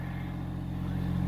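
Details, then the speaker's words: Massey Ferguson GC1710 tractor after repairing a broken wire at the temperature sensor on top of the water pump, revved to about 2000 rpm: steady, smooth diesel drone, no knocks or misses; temperature gauge now rising as it should. "I had the tractor revved up to about 2,000 RPMs right now, and the temperature gauge is starting to rise as it should."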